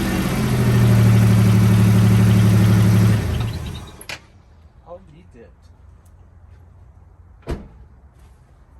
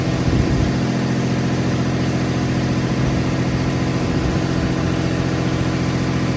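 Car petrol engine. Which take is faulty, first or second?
first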